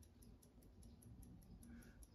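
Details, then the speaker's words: Electricity meter in a house whose power is out: faint regular ticking about five per second, but the disc is not turning. This suggests power is reaching the meter and something downstream has blown; cause unknown. "ticker I can hear it ticking so it sounds to me as though it's got electric coming to it"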